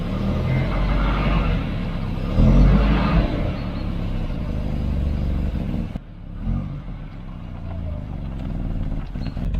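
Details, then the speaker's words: Volvo 245 wagon back after 11 years off the road, cold: engine speed surges and sags instead of holding a steady idle, fine once warmed up; cold idle hunting, with a recent exhaust blow also present. "Yeah, she's hunting like crazy. Once she's warmed up, she's alright"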